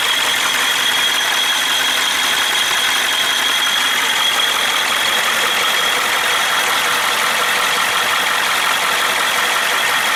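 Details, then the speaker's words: 1994 Ford F350, 7.3L IDI diesel at idle, oil cap off: heavy blowby chuffing like a train, with a faint metal-on-metal rattle underneath. The owner guesses the rings are slapping; the shop suspects a cracked piston or bad rings; a bottom-end knock is also present. "with the oil cap off it was quite a bit of a blow by happening just like a choo-choo train there and you could hear kind of a metal e metal-on-metal sound going on in there maybe ring slapping around or something"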